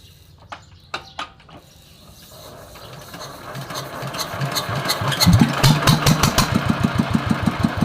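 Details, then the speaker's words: Yanmar TF115 LM single-cylinder diesel, cold, before repair, owner reports it hardly starts when cold: a few slow separate firing knocks, then it catches into a rough uneven beat; injection pump plunger, injector and pump valve to be checked. "เจ้าของบอกว่ามาติดยากครับตอนเครื่องเย็นสตาร์ทหมุนไม่ค่อยติดครับ"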